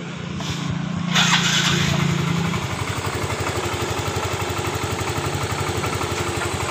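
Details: Yamaha Mio M3 125 restarted after fuel pump pressure was checked at a normal 42 PSI and the owner had replaced the air filter: brief start-up burst, then an even, steady idle of about four pulses a second; it runs normally.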